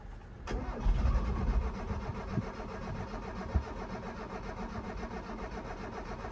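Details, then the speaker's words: 1983 Mazda B2000, parked since 1993 after a head gasket swap and not run since, gas pedal not yet connected. The starter spins the engine at an even three to four beats a second with no firing: normal cranking, no start. "As you can hear, it cranks over normally. One thing I did forget to do, I forgot to hook up the gas pedal."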